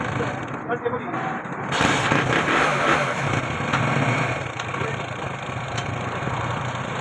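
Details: Honda 70cc motorcycle after timing chain replacement for chain noise: small single catches after a brief crank and settles into a steady, even idle with no rattle from the top end; normal idle.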